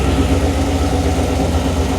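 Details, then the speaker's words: Numbers-matching Mopar 340 V8 at warm idle on the dyno, oil temperature 161°F, with vacuum and both O2 sensors reading good: smooth, even low burble with no knocks, ticks or misses, and no oil leaks found; healthy. "Is there any sounds in the engine? We're going to go take a look."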